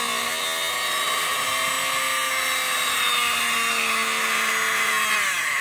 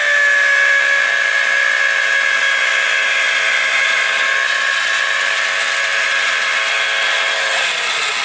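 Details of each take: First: 12 V DC motor, opened, run on 12 V; magnet held far so it spins slowly, speed rising as magnet nears; smooth high steady whine climbing at the end; normal running. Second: 12 V DC motor switched directly to 24 V supply; loud screaming high whine whose pitch slowly sags as it overheats; motor burns out completely from overvoltage.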